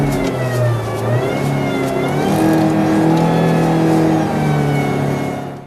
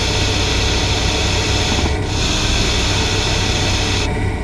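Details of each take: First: Hydraulic power steering (DHB system): a loud high-intensity whine over the revving engine, rising and falling with rpm, at high engine speed under high system pressure; possibly caused by internal pump wear. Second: Normal hissing of a hydraulic power steering (DHB) rotary valve, most evident when steering with the vehicle stationary, from fluid passing valve orifice edges at high speed: steady high-pitched hiss like a slowly deflating tyre; only very loud hiss warrants checks.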